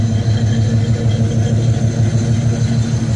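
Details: Box Chevy Caprice Brougham V8, after exhaust popping traced to the plug wires: steady even idle with smooth low burble, no popping or misses.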